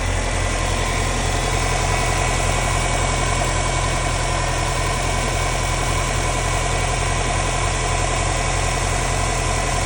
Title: Subaru STI cold start & engine knock